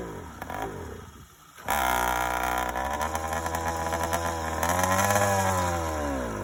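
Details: First startup of a YD100 two-stroke after reinstalling a Dio reed valve, newly ported cylinder and self-windowed piston, still untuned, recorded outdoors with the phone in a pocket. It catches quickly into a crisp, buzzy rev that holds and rises evenly; starts easy, runs fine.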